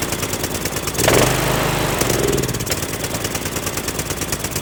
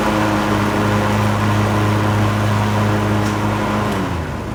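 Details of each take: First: Cub Cadet LTX1040 with Kohler Courage single after an engine fire, carb loose on spacers, no air filter housing: thumps steadily, then slows and dies once choke is off. Won't run without choke, needs carburetor work. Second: Cub Cadet LTX1040 lawn tractor, Kohler Courage single-cylinder, after repair of mouse-related engine fire (coil, fan, air filter housing, valve cover gasket replaced, carb cleaned): steady single-cylinder hum at constant speed, pitch falling smoothly as it slows; runs healthy.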